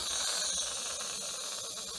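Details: Turbocharged engine off, under-boost problem: pressure test with air blown into a steel boost pipe gives a steady sharp hiss of escaping air; boost leak found at a loose pipe clip.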